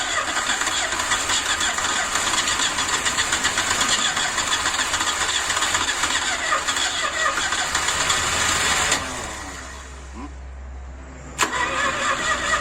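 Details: Ford Escort MK2 unused 27 years, cranking on fresh fuel with no spark: quick even cranking about four turns a second without heavy lag, blow-by from dipstick hole; low compression, stuck rings or past overheating suspected.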